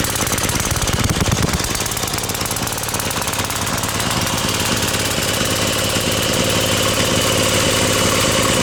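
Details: Brute Briggs and Stratton 550e pressure washer engine pulling the pump: busy rattly beat with slight stumble, running rich; it works but needs a new carb main jet.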